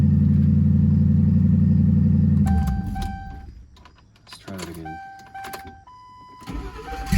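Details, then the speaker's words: Ford Crown Victoria after a repair: low drone, then the engine cranks strongly and catches quickly on each restart and settles; an odd noise at the end of the start, but it starts powerfully. "did not like that noise at the end but it starts wow that starts really powerfully too holy crap"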